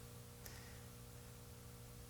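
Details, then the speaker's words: 1955 hand-wired National Schools tube radio, powered up on full AC line: faint steady low hum under light hiss, growing louder as tubes warm; mains hum, source not yet known. "So, and it's humming quite a bit louder."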